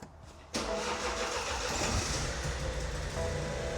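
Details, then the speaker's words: BMW 218 convertible from a salvage auction, sat unused a long time and freshly serviced (4.2 litres of new oil, oil, air and pollen filters): it cranks, catches and runs slightly unevenly from cold, occasionally skipping a beat. "It does slightly skip a beat when it's cold there. Yep. But of course we have got to allow the fact that this car's been sat around for so long."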